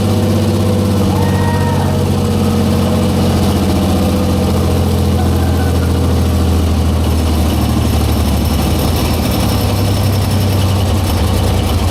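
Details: 1944 Cleveland 3-268A three-cylinder two-stroke diesel, revived after sitting, first run after fuel-delivery fix: deep steady low thump, even beat, all cylinders firing, no misses; normal smooth idle.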